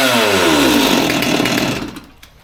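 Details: Old Stihl MS200T top-handle two-stroke chainsaw that idled fine but wouldn't rev, after teardown and fuel line replacement (suspected cause): crisp high scream that winds down smoothly with no bogging or stumbling; running cleanly.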